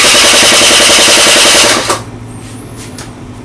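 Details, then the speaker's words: Honda Dio 27 two-stroke scooter with compression and spark: starter cranks briskly for almost two seconds but never catches; no start because the failed fuel pump isn't delivering fuel, so the pump is replaced and the carburetor cleaned. "пробуємо завести або не качає бензинбо добре бензин не качає або бензина якась не знала"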